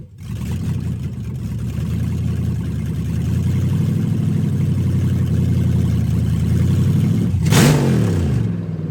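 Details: Turbo LS-swapped Fox body Mustang, first run after new AN fuel lines and fuel pump, open exhaust: loud, deep rumble that builds and holds steady with one sharp throttle blip near the end, clean and even, no leaks; normal running.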